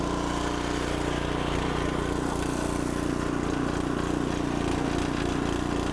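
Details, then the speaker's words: Log splitter's fairly new small engine, restarted still warm: steady, even single-cylinder putter at fast idle, no misses or surging; running healthy. "now when I turn that on it's still warm so it probably fire right off"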